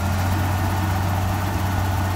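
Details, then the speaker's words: BMW V12 warmed up at idle after a cold start: deep, even hum with no misses or knocks; runs very well, intake manifold gaskets apparently sealed; engine steams, owner considers a head gasket pressure test. "runs really well must have been wellmaintained had a lot of factory service at one point"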